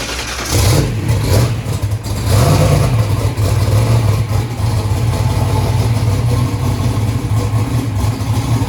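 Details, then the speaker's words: First start of a 2500hp 427ci turbo small-block Ford race engine, being warmed up (82 psi oil pressure): loud lumpy V8 with an uneven beat and wavering idle; number three cylinder not sparking, a misfire from no spark. "so numbers saying number three is not sparking what well number two was the problem previously"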